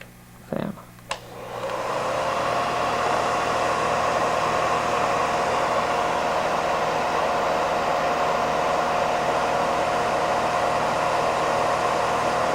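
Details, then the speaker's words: Porous foam-ring rotor hair dryer: after a couple of clicks it settles into a smooth, steady, low-pitched rush of air with no whine, lower in frequency and overall level than a standard dryer; normal running. "So the combination of the lower frequency and also the just decrease in overall sound levels, it's a much more pleasant sound that it emits."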